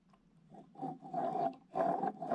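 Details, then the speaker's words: MBK Rocket Minarelli vertical engine being disassembled, crankshaft spun by hand: rough gritty rasp with a ringing note from a worn crankshaft bearing; piston shows marks at four corners, suspected overtightening. "vous entendez le bruit de roulement ça va ça dégueulasse on flingue"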